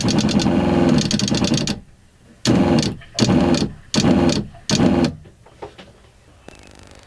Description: Installation of a shureflow accumulator tank to cure uneven water flow and short-cycling the water pump.